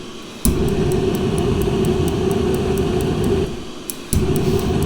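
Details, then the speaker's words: Masterforce 20 V 60,000 BTU portable forced-air propane heater, in a garage around 43.7°F: fan roar with repeated igniter ticks about three per second before burner catches; needs about 10 seconds holding for enough fuel to reach burner. "i think it's just a matter of leaving that on for about 10 seconds getting enough fuel to the burner"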